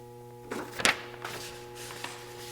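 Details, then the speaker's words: Old RadonAway XP201C radon fan with failed bearings, locked-up motor: steady electrical hum, impeller not spinning and no airflow, so it only consumes electricity and would not reduce radon levels; replacement needed. "and it's just making that humming noise. You can see that impeller is not spinning. So, this fan is only consuming electricity right now."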